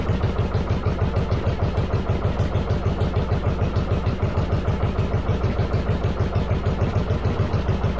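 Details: 1995 Yamaha Virago 1100 V-twin on half choke after cleaning vacuum lines and EGR-type valve: loud thumping about 200 a minute, slightly uneven beat; owner suspects carbs not synced, doubts timing, says it ran better.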